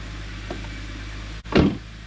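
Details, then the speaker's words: BMW N52 inline-six after replacing spark plugs and ignition coils: quiet steady idle with no stumbles, no check engine light or misfire, more responsive; normal idle. "yeah engine sounds much better as well more responsive"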